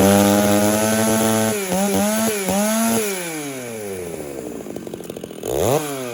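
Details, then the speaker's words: Chainsaw being tuned leaner and richer between cuts, slightly dull chain, hot day: high revs drop under load in the cut, then scream back up; judged too lean. "okay that sought to me was too lean it was cutting yes but I think over time slight dull saw finishing up cuts on a hot hot day"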